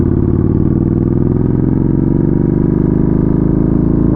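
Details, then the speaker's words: Yamaha Bolt V-twin after a crash, ridden in third and second gear: engine lugs heavily and drags down as if near stalling, with brakes locked up and smelling burnt. Engine bogging from dragging brakes. "yeah I see like it it stops like uh the brakes are locked up that's what you're smelling that's what I'm smelling I should say is burnt breaks"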